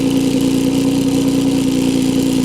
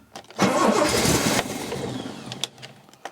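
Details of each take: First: Steadman TS-100 with 4.2-litre Jaguar XJ6 Series III engine, twin SU carburettors set to about 2.7–2.8 percent CO after timing and plug change, smooth even idle with no misses; normal idle. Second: Steadman TS-100 with a Jaguar XJ6 Series III 4.2L petrol six and SU carbs, started after sitting a while: cranks, catches and runs lumpy and stumbling, as if on three cylinders, before timing, spark plugs and carbs were serviced.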